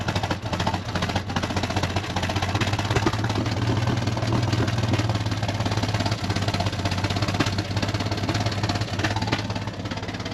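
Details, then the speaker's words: Chrysler CM Valiant Hemi first start, fed fuel from a drum: low lumpy idle with uneven beat like an old tractor, plus a whirring suspected to be the water pump; rough, cause not found. "sounds like a bit of an old tractor at the moment"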